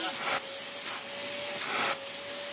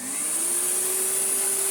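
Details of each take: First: Kärcher VC3600 commercial vacuum cleaner run without bag or clogged filter: loud airy rush with steady tone near 600 Hz cutting out in bursts, an intermittent motor fault; otherwise runs well with good airflow. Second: Karcher VC3600 commercial cylinder vacuum cleaner switched on: smooth high motor whir climbing quickly to steady pitch with strong airflow hiss; running normally with good suction, hose fitted back.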